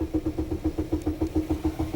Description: 2002 Pontiac Grand AM all of a sudden won't start, just cranks. The Security Light is ON.